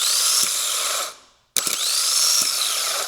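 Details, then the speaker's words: Starter from a 2008 Suzuki XL7 with 190,000+ miles that would not start, bench-tested off the car: two harsh, loud, rough high-pitched whining spins; worn bushings or bearings, it was only clicking against the ring gear. "so see how rough that is and how loud that is? It had basically bearings or junk in it or the bushings."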